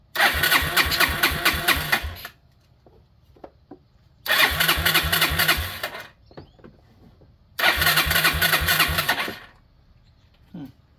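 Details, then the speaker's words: 2001 Yamaha Breeze YFA1 after fitting an aftermarket carburetor: three two-second bursts of steady starter cranking with no firing; turns but won't start. Fuel tap suspected in the wrong position, needs turning to reserve; not confirmed. "Is there not enough fuel in here? There's still plenty of fuel in there. Maybe not in the right direction though. Need to turn it on reserve."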